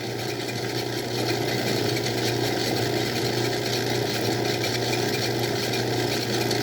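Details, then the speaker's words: Old Craftsman 109 lathe drilling: steady even cutting hiss over motor hum, no chatter or wobble; each flute cutting evenly, drill sharp. Normal drilling. "I didn't see like wiggling of the drill bit, but I know that I'm getting nice even cuts from each flute, and that means essentially that the drill is nice and sharp and doing its thing."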